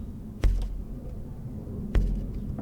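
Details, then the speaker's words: Ferrari Mondial timing belt plucked during a valve clearance job: a dull, very low note that dies away quickly. It twists about 45 degrees with thumb and forefinger (90 too loose, 20 too tight), so the belt is correctly tensioned. "the sound it makes for those of you that you know really want to nail it down um okay so the sound it makes is this it's a very low note"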